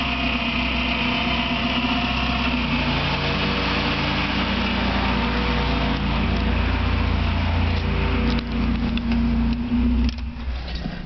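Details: Engine running with a thin high bird-like chirp persisting with revs, two years and louder; not cured by new alternator bearing or timing belt tensioner, continues with alternator belt removed; owner suspects water pump, unresolved.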